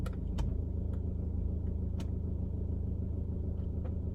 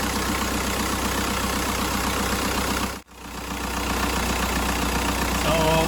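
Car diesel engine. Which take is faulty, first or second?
second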